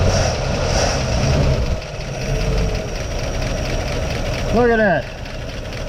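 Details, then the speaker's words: 1956 Pontiac first started after sitting almost 40 years: low, steady idle rumble with no knocks or misses, only a brief chirp and a little expected smoke; the engine runs smoothly, a normal idle. "look at that a little bit of smoke has to be expected it's been sitting a long time look at that that is incredible man oh man sitting that long turnning like a kitten ain't that something that is incredible"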